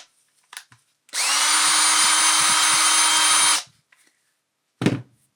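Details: Makita DDF482 cordless drill after replacing intermittent trigger switch module (6507545, replaced by 6507537); brushes and motor had been fine: clean even whir for a couple of seconds, steady pitch, no stutter or cutting out; working again.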